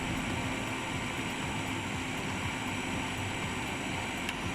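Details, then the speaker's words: Eberspacher Hydronic 30 kW heater, second unit, start attempt with fuel confirmed and pump working: fan rush and fuel solenoid valve ticking but no spark clicking; no ignition spark, spark generator suspected, connections look clean. "we can hear the solenoid valve but we do not hear the sparks okay so there is definitely some problem there at the spark generator"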